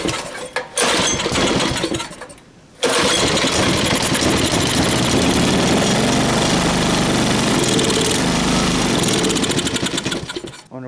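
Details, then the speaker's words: Tiller engine with new carburetor, pulled at half choke without air filter: a few weak pull-start strokes, catches, runs roughly and dies; hard starting, fuel supply issue suspected, carburetor float possibly faulty. "maybe H well it looks like we still may have a fuel issue oh boy is there any fuel down in there"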